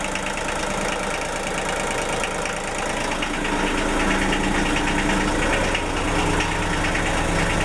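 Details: Denyo DCA-15SS-N genset, 1.6 L 3-cylinder Nissan diesel (18 PS at 1500 rpm), over 30 years old, cold just after first start in years, smoking a little: steady clatter at about three beats a second, settling to an even idle; normal cold idle.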